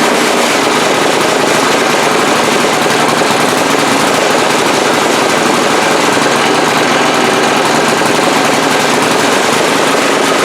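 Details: 2002 Briggs & Stratton 3.5 HP push-mower engine from the trash, at high speed with no blade or heavy flywheel: harsh, rapid, uneven popping; sputtering, puff of black smoke, carburetor diaphragm suspected of passing too much fuel.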